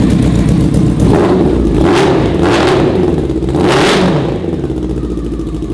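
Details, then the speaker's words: Yamaha R6 motor in a Yamaha Raptor quad (about 130 hp) after the exhaust was refabricated to dual pipes and the engine tuned: crisp, rapid blips rising and falling cleanly, no popping or rattle; now running well. "so pretty much as soon as the exhaust was redone it started running better immediately and then after that we just had it tuned to the exhaust and knock on wood I think it's good now"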